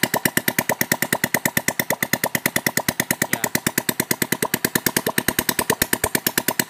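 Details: Honda Supra Fit after engine rebuild, new camshaft with decompressor, no muffler fitted: crisp even single-cylinder putter about three beats a second, steady, no knocks, no smoke when revved; healthy idle.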